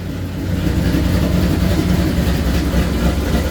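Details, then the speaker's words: Rebuilt, cammed Ford GT500 engine (1000+ rwhp build) running a Palm Beach Dyno base tune just after first start, during data collecting: a deep, steady, loping idle at three to four pulses a second; healthy big-cam V8. "i dropped the base tune into the computer and started it up for the first time that thing sounds awesome"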